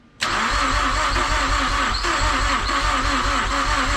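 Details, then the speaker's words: Mazdaspeed6 after a rebuilt high-pressure fuel pump install, cranking heavily and sluggishly at about four compression pulls a second without firing; lights dim while cranking, and the owner suspects the battery isn't strong enough. "there's a lot of smoking the crankin the lights I don't think a bad I'm strong enough right now"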